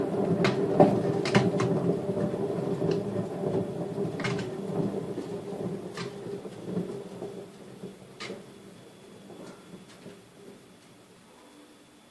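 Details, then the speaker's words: Daewoo DWD-F1212S washing machine, drum spun by hand with tub pulled out: gravelly rumble with scattered knocks fading as it coasts down; worn drum bearings. "Bueno antes de continuar les mostraré cómo suenan unos rodamientos en mal estado y ya verán como no les será difícil apreciar la buena música"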